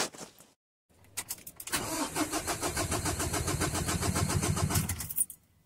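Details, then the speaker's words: Ford Ranger 2.2L diesel with misfire under load and no fault codes, cranking with injectors unplugged; steady even chug about four beats a second, compression sounds even across all four cylinders. "sounds pretty even with the compression"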